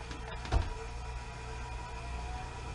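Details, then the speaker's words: Newly installed Fan-Tastic Vent reversible roof fan in a Runaway camper, powered by battery charger, on low blowing inward: switch click then quiet, steady low hum and even whir; runs smoothly, moving good air. "I'm telling you, this thing is blowing some good air, and that's on low."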